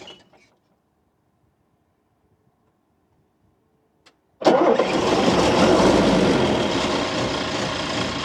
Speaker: Right, we're just going to do a cold start of a 1983 1300L Unimog. So we haven't used the preheater. It's -10 and we're in the Arctic Circle.